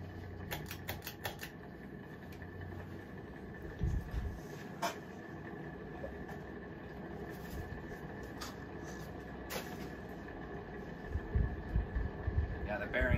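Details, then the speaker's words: Mid-to-late-1980s SMC A52 52-inch ceiling fan, bought new in box, on high speed: quiet fan hum broken by loose, irregular ticks and clatter; owner suspects dry, worn motor bearings and may replace them later. "yeah kind of sucks that this thing's got a horrible bearings i could uh take the thing apart and uh open up the motor and replace them"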